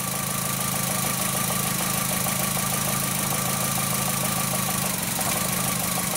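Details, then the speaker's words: 2004 VW Jetta 2.0L engine at idle with cylinder 3 coil lead pulled: uneven chugging idle with a recurring skip, no spark on number three; P0303 misfire. "so on our number three go and pull this out and see you're not hearing anything not seeing any spark"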